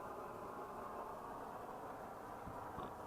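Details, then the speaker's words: Swedish Optimus 8R camping stove heating up after the cap seal was replaced and it was cleaned out; even, steady rushing roar at full flame, no sputter or surging; the new seal holds, normal burner roar. "Oh, it's roaring. That's how it's supposed to sound. Big Dan, you're a genius. Look at that sucker roar."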